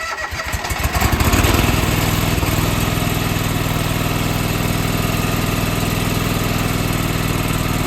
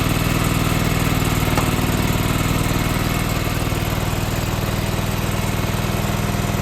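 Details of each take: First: John Deere 425 garden tractor, sitting for months, with a new starter, fresh gas and a working fuel pump, on its first start attempt: several seconds of cranking catch into a firm start, then a steady, even run; it starts and runs healthy. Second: John Deere 425 garden tractor, sat for years, new starter, fresh gas, first ever start with no choke or throttle adjustment: steady, even chug about four pulses a second, no misses or knocks; engine runs on its own.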